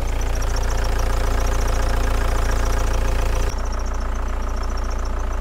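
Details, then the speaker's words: 1987 VW Camper diesel at idle after a turbo change and leak repairs, no fault codes: a fast steady click of about three or four per second over the low idle, heard with a hose as a stethoscope. Owner suspects a small solenoid; injectors are also suspected. "I'm just curious see I think that that little solenoid is actually clicking away there I just want to do the stethoscope method hose in the air yeah it's clicking away there"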